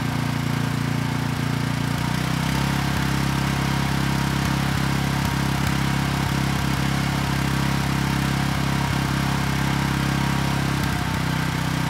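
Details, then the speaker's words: Briggs & Stratton Vanguard commercial engine replacing one that threw a rod, after counterbalance repair with assembly lube on journals: starts right up, steady even single-cylinder thump, no knock; normal running. "all right not too bad it started right up and the engine sounds good so I think we're ready to move on here"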